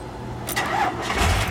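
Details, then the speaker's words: 1992 Dodge D250 Cummins diesel started from a JF.EGWO 6000A jump starter: brief crank, then it catches straight away and settles into running, keys jingling nearby; a clean, healthy quick start. "it started right up. Slick as crap. Oh, decent."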